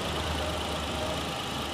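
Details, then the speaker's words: 2011 Spark with the original, untouched engine: a short stretch of steady, even idle with no tapping or misses. The engine runs quiet and smooth. "Máy êm không? Sử dụng toàn bộ qua bếp full 1, 2, 3 ba cái bô ri thôi. À, máy êm lắm."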